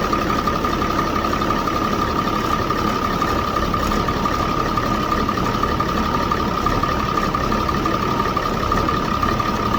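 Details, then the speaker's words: 2007 Ford F650 with 5.9 Cummins diesel at idle after removing the turbo silencer ring: steady clear mid-pitched whistle over an even idle; normal turbo spool noise, louder without the silencer ring. "so I'm gonna crank this up and let you all hear the whistle on here and maybe I won't blow up my engine or nothing so or you know send shrapnel anywhere all that fun stuff"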